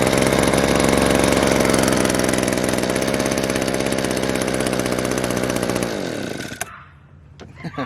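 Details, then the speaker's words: Discarded Echo PB-200 two-stroke leaf blower, fed premixed fuel straight into the carburetor and run on choke before its primer bulb was replaced: catches at once and buzzes steadily at a high, rapid beat, then shuts off. "starts right up that's awesome okay now that we know it runs"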